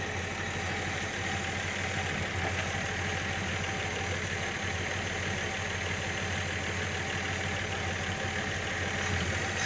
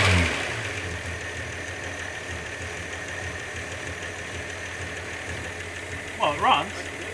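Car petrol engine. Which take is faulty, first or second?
second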